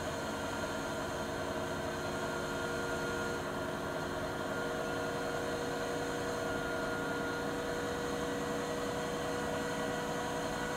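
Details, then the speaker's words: Siemens iQ300 WG41A1X1TR washer (9 kg, 1000 rpm) on a 13-minute spin program, rated 72 dB in spin. An even whirring hum with steady tones and no knocks or scraping; the drum spins smoothly and normally. "Makinemiz normal şartlar altında yıkamada 48 desibel, sıkmada da 72 desibel sesi mevcut."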